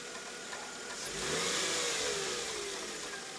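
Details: 2000 Mercedes E320 at start-up, around the idler pulley being replaced: an initial noise that fades away, then a quiet, steady idle with a faint belt-drive whirr that dies out over a few seconds; engine runs evenly, normal idle.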